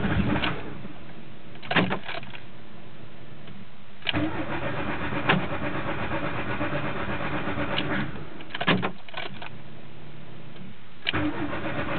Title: mk2 16v hard start